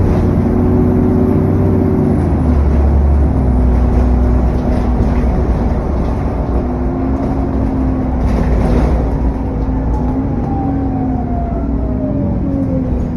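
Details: SN61 DDE E210 on a dead run back to MB: heavy roar under load with a thin whistle that falls away as revs drop, loud cooling fan thrash and turbo whine.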